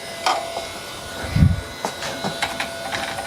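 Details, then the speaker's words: Old Toshiba desktop PC with 3dfx Voodoo2 card, first power-on: a steady high whine under irregular clicks and thumps about every half second; the hard drive is dead. "Wow, the hard drive's dead. You can hear it, right?"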